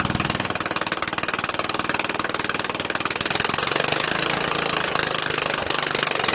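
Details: Murray Widebody LT 14.5 42" lawn tractor at a steady fast idle after its first start on added gas: a harsh, raspy crackle with lots of sharp top end. Loud exhaust because it runs with no muffler.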